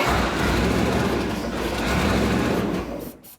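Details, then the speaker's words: 1975 Chrysler Conqueror jet boat with a 318 V8 and flat-tappet cam, fuel pump hookup confirmed correct. A loud steady starter churn at about four beats a second that never catches: it cranks but does not start because no gas is reaching the carburetor. "Still nothing. Okay, well, we're gonna have to figure that out. All that's left is getting gas in the carburetor."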